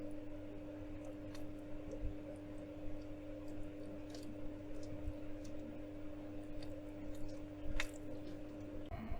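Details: OASE Biomaster 850 Thermo aquarium canister filter: soft steady low hum with a faint hiss and an occasional tiny click, no rattle or grinding. The owner had noise issues; a phone app measured 40–50 dB. Normal running.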